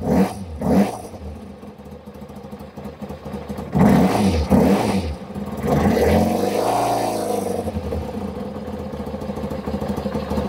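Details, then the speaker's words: Kawasaki ZZR600 motorcycle, cold start on choke after a no-start: engine stumbles and surges raggedly before idle screw adjustment; owner suspects slight misfire, possibly running on three cylinders. "So, we've got it idling, but I think it's missing. It sounds like it's misfiring ever so slightly."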